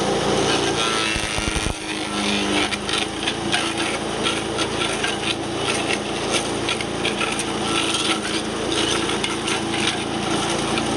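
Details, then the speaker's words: Wood chipper small engine after replacing a belt that let go: steady even drone with chipper turning and some wood rattle; belt drive engages cleanly, working normally again. "right all right so you can see it's working again uh now that we got the belt on there"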